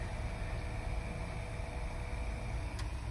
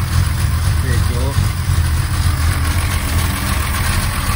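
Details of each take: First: 1963 Mercedes W111 220SEb convertible under restoration, engine not running: faint steady electric hum and thin whine as the fuel pump spins with nothing circulating; tank ran out of fuel, to be topped up. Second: 1963 Mercedes W111 220SEb cabriolet under restoration, restarted after work: low, steady idle, even with no misses or knocks, possibly over-fuelling; normal idle.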